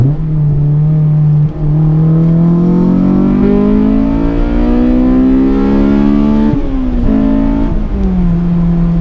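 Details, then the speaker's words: Honda S2000 AP1 after an engine refresh and valve job, driven with a GoPro onboard: the pitch climbs cleanly toward 9,000 rpm VTEC, eases back and pulls up again with no knocks or rattles. Normal high-rpm revving. "To that, man, so smooth, so good, just pure VTEC. What a sound."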